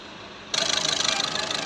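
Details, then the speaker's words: Skoda Rapid diesel after injector replacement: starts and settles straight into even clatter with regular pulses, rpm completely stable; healthy idle. "अभी start करते हैं हुआ है phone किधर है दोस्तों है और पीएम बिल्कुल स्टेबल है"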